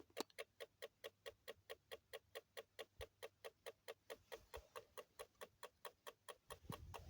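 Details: Alphard: sharp, even ticks about two per second over a faint engine hum; source of the ticking not identified.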